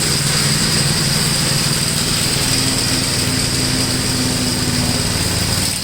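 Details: 1962 Gravely L/LI walk-behind tractor, single-cylinder, mowing a field after valve adjustment and carburetor tuning, with doubtful compression readings: steady, even drone holding speed under load, no misses or knocks; runs acceptably.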